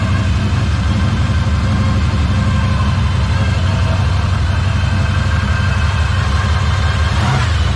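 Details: 1964 Impala SS V8 after frame-off restoration and engine freshening, started cold after sitting, battery charger on, air cleaner off, timing and carburetor adjustments still unverified: steady, even low rumble with no knocks, ticks or hunting; idling smoothly and healthy.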